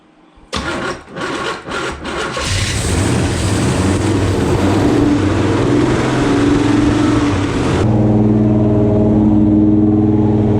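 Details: Buick Skylark with a 427 V8, first start after refitting a missing spark plug: several cranking bursts, then it catches into a loud, steady high idle with an even beat; running normally.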